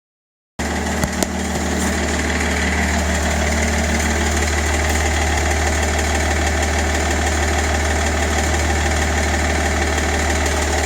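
Diesel idling steadily with a regular knock, roughly three a second, riding over the low drone; a knock whose cause isn't identified.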